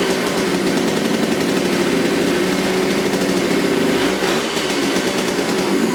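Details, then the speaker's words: 1972 Suzuki TC125 two-stroke salvage-yard bike: raspy idle that holds only on choke, its tone sagging as it begins to bog with the choke off, smoky; owner suspects it needs more carburetor cleaning, air-screw adjustment or a new carburetor. "it only runs with the choke on if i turn the choke off it starts to bog out so uh probably gonna need a little bit more carburetor cleaning or just a new carburetor but hey it runs it sounds good"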